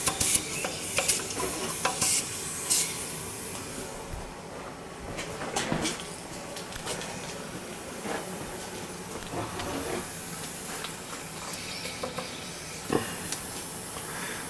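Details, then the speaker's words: Boiler being refilled; the feeder is doubtful and it may need a new expansion tank. Steady hiss of air from the bleed valve with intermittent spits and clicks; normal purging. "Once we get all the air out of it, we can shut this off here."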